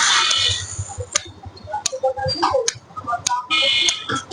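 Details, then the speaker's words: Pulsar (UG4) motorcycle that suddenly would not start. The microphone sits next to the relay on the left side, and turning the kill switch on and off gives crisp tick clicks. The relay works normally and was also checked 100% good. "এখন আমি just সুইচটা যখন on of করবো, আপনারা খেয়াল করবেন tick tick sound আসবে, খেয়াল করবেন।"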